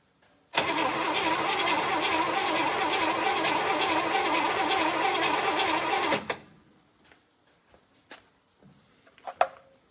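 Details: 1964 Chevrolet Impala after about 50 years sitting, spark confirmed, compression about 90 psi: steady even cranking for about five and a half seconds, roughly three compression beats a second, never catches; cause unknown.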